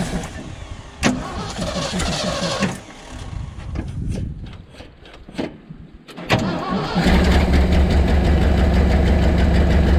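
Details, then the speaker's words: 1975 Ford F750 pipeline truck after a slight distributor timing adjustment: cranks and coughs, then a lumpy but steadier idle with uneven pulse; still rough, owner suspects a clogged fuel filter starving it. "all right now it's acting like it's running out of fuel i need to change that fuel filter because that fuel filters yeah doesn't look good"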